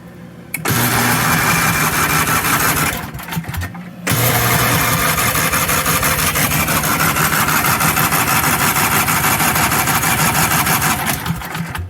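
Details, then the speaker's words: 1982 Snapper Comet riding mower, 8 HP Tecumseh electric start, estate-sale find: long stretches of even starter cranking about three beats a second, pausing and resuming, never firing; spark keeps cutting out, owner suspects poor alligator clip contact or park switch. "Okay, the spark quit again. I don't think these alligator clips are making good contact."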